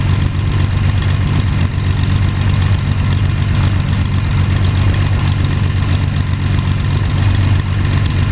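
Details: First start of Jabiru 3300 six-cylinder in plans-built Sonex with Rotec TBI, 50 hours on engine, mixture full rich, oil pressure 42, charging: steady even low rumble, smooth regular beat, no knocks or rattles; sounded really good, normal idle.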